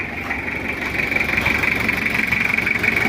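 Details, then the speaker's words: Kijang 2L diesel after an engine rebuild for oil burning and final retiming and adjustment: even idle with a steady, regular clatter and no knocks or misses. The engine sounds normal and back to standard. "udah kita setting lagi untuk mesinnya jadi Alhamdulillah suaranya normal dan juga standar lagi kembali normal"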